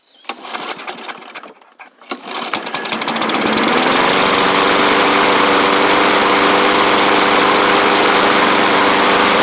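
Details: Bolens push mower, Briggs & Stratton Classic engine after repairs including carb kit: a few pulls, then catches and settles into a steady even buzz, no misses; runs healthy, maybe slight water from washing.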